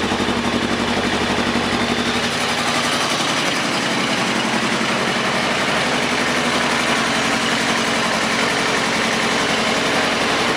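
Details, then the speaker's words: 2000 Kawasaki ZR-7 750cc four-stroke, recently tuned up with new plugs and wires, carbs cleaned, aftermarket exhaust, on choke: even, steady idle with quick regular exhaust pulse, no ticking, missing or hunting; normal idle. "it runs pretty good I haven't had any problems with it at all"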